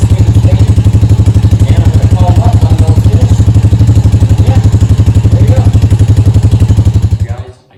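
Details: Honda Rancher quad that sat with old gas and would not start, after carburetor cleaning: deep, even thumping about four beats a second holding steady until shutoff; normal idle.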